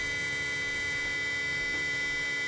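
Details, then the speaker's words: BMW 535 xDrive just after water pump replacement: steady electric hum at constant pitch with no grinding or rattle; coolant pump running properly. "just finished installing the water pump see it's running you hear that that's a good water punch it sound"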